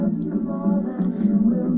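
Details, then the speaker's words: 8-track cartridge playing with a replacement pressure pad cut from weatherproofing strip with rubberized backing: music comes through dull and boxy with no treble, far worse than with the foam pad. "Nah, it's useless. It's sounding really rubbish."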